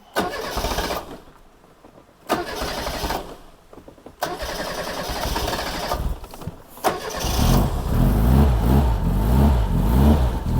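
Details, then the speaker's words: 1987 Reliant Rialto 2 barn find: a few short cranking bursts, then it catches quickly and settles into a steady, even idle with no knocks or misses. A normal start and idle. "That sounds so sweet. That is lovely."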